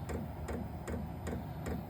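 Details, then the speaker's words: New Vevor 12V 8k diesel heater in a 600 sq ft shop at startup, still blowing cold air: crisp ticks about every 0.4 s over a low fan rumble as the pump cycles fuel into the heater. Normal fuel pump ticking. "all right don't know if you can hear that that's the pump cycling"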